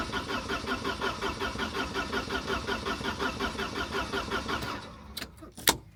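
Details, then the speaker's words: Car that ran well after earlier repair work now won't start: steady rhythmic cranking just under two turns a second with no catch or firing, then it stops. The fuel pump is heard, so the fuel filter is ruled out; cause unknown. "Oh, You can hear the pump, can't you? so frustrating. So, it's not the fuel filter."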